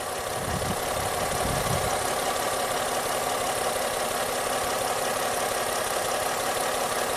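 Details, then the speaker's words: 2010 Ford Fusion at idle: uneven loping beat, one cylinder dropping out, while injector 1 and rail fuel pressure are scoped. The misfire persisted after PCM replacement and PATS immobilizer programming. "Okay, right there. We have our fuel pressure. We have our misfire. There's injector number 1."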